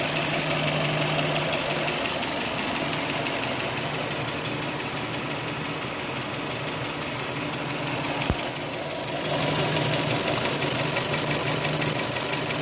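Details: 2005 Hyundai Elantra idling, just after owner tightened the timing belt: regular light metallic tapping, about three per second, over the idle; noise existed before but less prominent, source undetermined.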